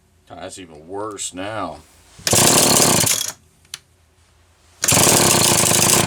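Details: Homelite XL-123 chainsaw: two loud ragged two-stroke bursts cutting out unevenly, rough and sputtering; ignition misfire with popping and banging, later traced to a faulty condenser.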